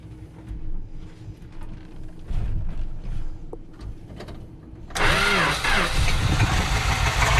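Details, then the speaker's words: 318 V8 in a 1974 Dodge W200, carburetor not getting fuel with the float suspected stuck closed: long uneven cranking with no firing, then the V8 suddenly catches and revs into a rough idle; hard start. "crank it up we gotta crank it till we get fuel"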